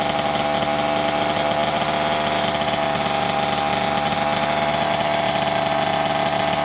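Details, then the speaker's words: 1988 Kawasaki KX 80 two-stroke after its piston was replaced, first start in 15 years after it had flooded: crisp, raspy, steady high buzzy drone, running cleanly and healthy. "voilà enfin enfin enfin il a démarré cette ruche je n'y croyais plus du tout"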